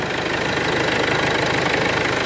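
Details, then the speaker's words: Mercedes B 1.8 CDI diesel idling, oil at 17 degrees, engine shaking slightly: coarse uneven rattle and clatter through tick-over; very noisy dual-mass flywheel. "A ogólnie tutaj w tym pojeździe strasznie hałasuje koło dwumasowe"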